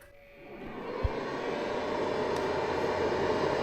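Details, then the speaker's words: Easun iCharger 8048 MPPT solar charge controller (12–48 V) under roughly 700–900 W load: steady airy whoosh with faint tone swells up within a second and holds as cooling fan kicks in; fairly loud, stops near 400 W. "The fan starts up at around 700 W. I wouldn't call it quiet, because it's much louder than these variants."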